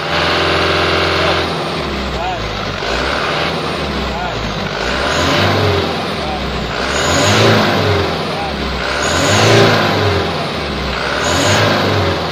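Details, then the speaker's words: Mitsubishi Canter 2018 diesel idling while the exhaust brake flap is adjusted with a 12 mm ring spanner: idle swells with a thin high turbo whistle; loudest at about 5 mm of travel, flap about 20° closed, said not to affect performance. "Suara top tertinggi sudah kita temukan ya Sobat Teknik ya. Hanya sekitar 5 mili atau setengah senti, kita geser sedikit setelan scape-nya ya."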